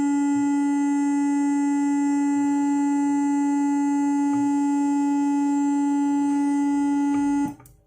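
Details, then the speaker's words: Analog 2-way crossover, newly bought and installed: a steady, piercing whistle near 280 Hz holds unchanged, then cuts off abruptly, like oscillation or feedback, and it appears when the volume potentiometer is turned; crossover oscillation from a faulty potentiometer. "waktu saya tes bermasalah begitu ya saya juga kaget ya karena kayak kayak osilasi kayak feedback"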